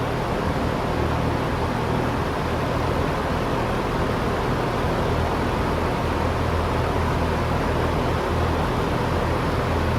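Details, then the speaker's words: Vintage blue GE 2-speed fan with spin switch, running on high: steady even rush of air over low motor hum, no rattle, scrape or wobble; normal running. "So again, we have a spin switch, not a snap switch, and if I remember correctly, high is first."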